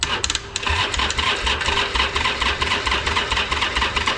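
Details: Harley-Davidson Iron 883 Sportster, unstarted for about 6 months, fuel pump primed, cranked on its old battery: sluggish, uneven cranking drags on without catching; battery too weak, later swapped for a fully charged one.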